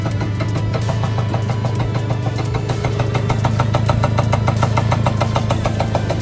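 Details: Piaggio NRG MC3 two-stroke moped after fitting a repacked, decarbonised exhaust: even idle with a steady low drone and regular crisp pulses, no misfires or rattles; clean, healthy-sounding engine.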